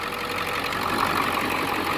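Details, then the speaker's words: 2002 Ford Excursion 7.3 diesel 4x4 idling after the seized pulley/tensioner housing and frayed belt were replaced with new parts. Even, steady diesel clatter with no misses, knocks or squeals: healthy normal idle. "this right here is that 2002 excursion 7.3 diesel 4x4"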